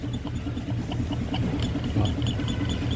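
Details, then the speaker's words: Passat front suspension, recorded with RUIDCAR at the strut top: dull, uneven low thumps and rattles that lessen when touched; the shock absorber bump stop is broken and the shock tip displaced off-center; fix is replacing the shock kit. "que tá acontecendo aqui quebrou o batente do amortecedor inclusive dá para ver nitidamente que eles a ponta do amortecedor está deslocada"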